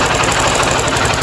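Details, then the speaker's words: 50cc motorcycle at idle: quick, even light ticking over the engine note. Loose rocker rollers or the cam chain and tensioner are suspected, not confirmed; no cylinder or con-rod noise. "bem isso aí tá com barulho de daquelas rodinhas né as rodinha deve est solta balancinho"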